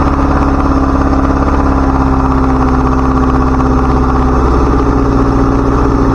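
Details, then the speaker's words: 1977 Chevy LUV idling a bit fast with an even low rumble and faint hiss. Idle set too high; a vacuum leak is suspected, and smoke is thought to be brake fluid burning off in the vacuum system. High idle. "I think we got our out a little high we turn that back a little"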